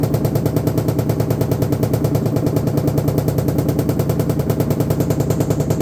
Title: LG washing machine noise, getting worse